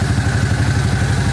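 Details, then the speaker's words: 1998 Suzuki Quad Runner 4x4 after fixing vacuum leak from a half-off vacuum line: steady even single-cylinder idle, regular low thump, no stumbling or surging; running good. "but man she's running good now i just had a vacuum leak that's what it was oh motor sounds good"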